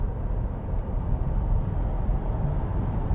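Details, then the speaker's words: Tesla Model 3 on a windy day at about 60 mph, after fitting secondary door weather seals, air off: low steady road rumble, no whistle or flutter from doors; cabin noise well controlled. "it's pretty windy today and you can hear it's still very manageable so overall this is this was pretty good"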